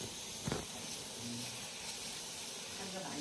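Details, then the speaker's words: Boiler shows no error code, but the owner kept hearing water sounds near the boiler: a steady, airy hiss with a fine spraying edge from pressurized water escaping two leaks in the floor heating pipe under the living room–kitchen doorway. "여기 보일로에서는 에라는 안 뜨고 오행께서 자꾸 보일로 쪽에서 물이룩 들어가는 소리가 들렸다고 합니다."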